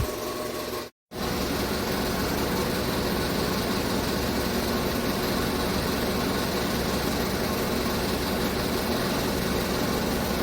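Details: 2015 Chevrolet Tahoe at idle with code P0300 after engine rebuild and tune-up; misfire traced to spark plugs by swapping them between cylinders; uneven, lumpy beat with irregular dips in exhaust pulses: misfire at idle.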